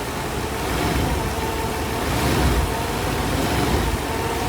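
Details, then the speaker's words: 1991 Mercedes 500SL (R129, M119 V8), fully warm after about 25 minutes of driving; the owner reports a high idle once warm. Here a steady, even low rumble with no knocks or misses: normal warm idle. "yeah I'm just gonna let it idle uh here for about 10 minutes pretty warm now so Island good"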